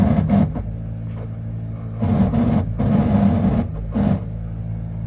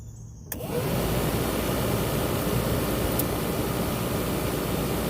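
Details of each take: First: Squarebody Chevrolet truck heater blower motor: steady droning motor hum for several seconds, then winds down as it shuts off; rough, noisy blower motor to be replaced with a new one. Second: Squarebody truck heater blower after replacing the noisy old blower motor with a new one: spins up quickly to a steady smooth whoosh with no rattle or scraping; works normally.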